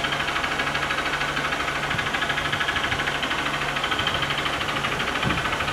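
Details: 2014 Honda Bros 150 brought in for engine noise: a sharp, regular knock, about three a second, rides over the idle, tied to engine rotation; a worn connecting rod, cured by replacing it.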